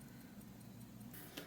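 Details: Mechanical watch on a timegrapher: faint, crisp, even quick ticks with no limping rhythm; balance running well in beat, normal.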